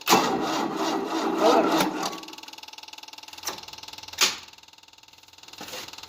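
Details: 1988 Tennant 255 Series II sweeper after replacing a taped, bad fuel line: starter cranks in an even beat, about four pulses a second, but never fires; choke on, fuel seemingly not reaching, fuel pump suspected.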